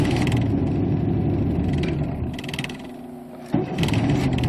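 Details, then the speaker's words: 1992 Chevy Camaro third-gen V6, needs five to six key turns depending on cold, after new pressure regulator, cap, rotor and cleaned idle air control valve; uneven, lumpy running that sags, nearly stalls, catches again; hard starting, rough running. "but it usually takes between five to six times of turning a key depending on how cold it is outside"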